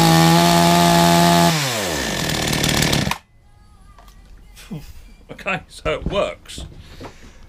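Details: Chainsaw that had sat unused, refuelled, chain brake not working; high steady two-stroke buzz winding down smoothly at shutoff; runs properly, choke button needs repair; normal running.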